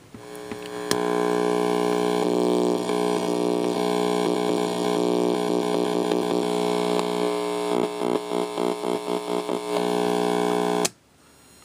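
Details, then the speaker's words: Homemade DERB PTR AF-RF signal tracer, quick test while unfinished; steady hum with constant buzzy tone and brief pulsing patch near end; tracer passing signal and working. "Much quieter on RF, so that's good. Alright, I'm going to call that good."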